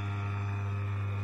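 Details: Daikin indoor AC fan motor, freshly rewound, 3-speed, 45 µF capacitor, running on high (black wire) at about 2 A: constant low electrical hum, no rubbing, rattle or wobble; runs smoothly.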